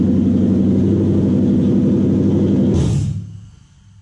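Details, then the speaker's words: Toyota 1UZ VVTi V8 in a 1947 Ford pickup, Link Storm ECU and Motec PDM, start after new wiring: catches and runs with even lumpy idle about three seconds then switched off; fuel pump circuit works, runs fine. "so the fuel pump circuit works we're all looking good motor runs"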